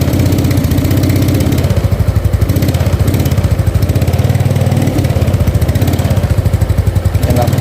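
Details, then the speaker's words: Yamaha Mio Sporty carburetor scooter, new spark plug: idles steadily but each throttle blip sputters and bogs, dies if forced. "Hidup normal, langsam ya, tapi dia nggak mau digas ya. Kalau digas dia berbet, terus kalau dipaksa mati dia."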